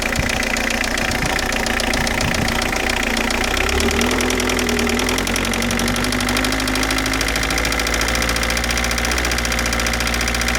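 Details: 2003 Citroën Saxo: loose, uneven clacking over a running engine at about two beats per second; clattering noise, cause not yet pinned down.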